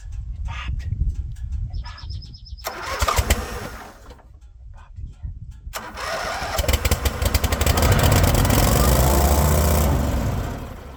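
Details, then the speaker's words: Vintage Wacker RD880 roller compactor that sat about 10 years, jump-started from an 8D boat battery: a few coughs and pops, then the single catches and settles into a loud, shaking, steady run; it starts and runs fine. "holy smokes it runs shut it off before it vibrates itself to pieces I love it awesome"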